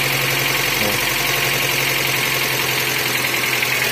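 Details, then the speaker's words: Suzuki APV (G15 engine) restarted after a broken timing belt was replaced, with aftermarket imitation cylinder head: fast, even light tapping over steady idle, strongest at cylinder head; top-end tick, camshaft seat suspected, not confirmed. "Oh, cylinder head yo, kotok-kotoknya yo, kotok-kotoknya di cylinder head. Jadi yo head imitasi pasti gitu yo guys, nggak sebagus yang orinya yo. Kayaknya itu dudukan noken asnya yang bunyi."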